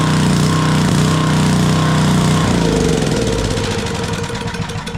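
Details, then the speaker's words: Coleman Powermate Powerbase 5000 generator, 10 hp Briggs and Stratton, stored with fuel, after carburettor cleaning: starts on first pull, even steady single-cylinder beat about four firings a second, no misses; normal running. "but it runs pretty good I'm going to let it go nice and smooth generator works crank's first pull"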